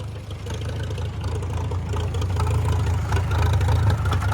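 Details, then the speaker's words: Farmall F-12 tractor on steel, long-sitting auction find: low, steady thudding run that stays slow at wide-open throttle and never picks up speed; engine won't rev, cause not confirmed. "It won't go any faster. That's wide open. It needs to run is what it needs. It's been sitting so long."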